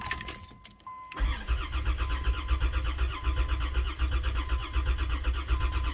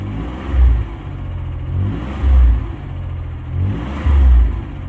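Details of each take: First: 1990 Dodge Grand Caravan LE after fuel rail rebuild, fuel confirmed at the rail; steady slow starter cranking about eighty beats a minute, never firing. Crank, no start; rail bolts later found only hand-tight and leaking. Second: 1990 Dodge Grand Caravan V6 after rebuild, running in: smooth idle with three light throttle blips, revs rising and falling cleanly, firing on all six; slight clanky sound suspected as a lifter, expected to clear with a heat cycle.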